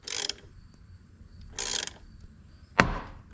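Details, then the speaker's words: Nissan 300ZX Z32 twin turbo, during a 120k-mile timing job: three sharp cracking pops about a second apart as the puller is tightened; the corroded aluminum crank pulley is seized on the snout. "And I wanted to show you guys another reason why these aluminum pulley suck over time. They actually corrode and get seized on."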